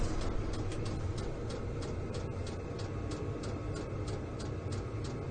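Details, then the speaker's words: Vevor diesel heater starting up in a metal building at −12 °C outside: low steady burner fan roar, jet-engine-like, with regular fuel pump ticking about four a second. Running normally. "You can also hear the fuel pump is running now. You can see it right there. So it is starting up. It kind of sounds like a jet engine."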